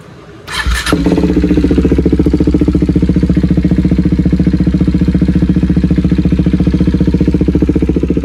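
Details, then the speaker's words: KTM Duke 390 at idle with exhaust leaking air at the header pipe joint, before welding: steady idle with a sharp, even puffing tick about three per second over the thump; exhaust leak at header pipe joint. "और वहां से हवा भी leak हो रही है। तो बस वही हवा जो लीक हो रही है ना उसको बस वेल्ड करवाना है।"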